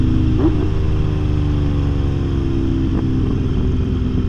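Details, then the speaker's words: Kawasaki Z900RS inline-four with swapped exhaust pipe, untuned, while riding and downshifting: deep drone falling off throttle with sharp pops and crackles on overrun from the open exhaust. "all those pops and crackles that's nice"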